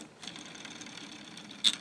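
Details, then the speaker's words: K'nex robot tape read assembly turned by hand: light plastic ticking and rasping, with sharp snaps near the end where gear teeth ride over each other. The builder is unsure it matters at low speed. Gear grinding. "can kind of hear the gear um grinding on this gear but i'm not really sure if that'll be a problem and besides it's not going to move that fast anyway"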